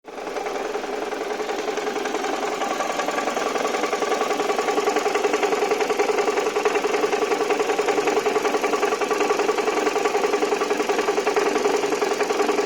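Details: Toyota 1AZ-FSE engine idles with a steady tapping about three and a half beats per second that seemed to come from cylinder one; teardown found a cracked flywheel, and the sound went away after.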